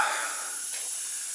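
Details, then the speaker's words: Old tractor air system after refitting and re-pressurizing: constant sharp hiss with no rhythm or pitch change; quick-disconnect fitting still leaking, repair didn't work. "didn't work I hate those stupid things I hate those quick disconnect fittings"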